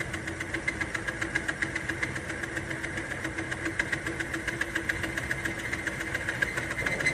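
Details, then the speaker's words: Timken test bearing under added weight: the motor strains with a ragged scrape and rapid uneven ticking until excessive friction stops the wheel. "There we go. There. And see, that didn't take very long to show the wear and the friction. There's too much friction there for the wheel to keep going, so it stops, and then you turn it off right away so you don't burn out the motor."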